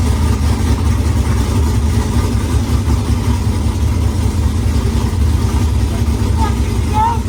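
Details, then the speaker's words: Pontiac Firebird with a newly installed engine, first start after priming: loud, ragged V8 rumble surging unevenly without a steady beat; runs but rough, backfiring a lot, with quick fuel lines. "well guys that was it man the firebird runs it doesn't run great it was backfiring a lot but it runs nonetheless"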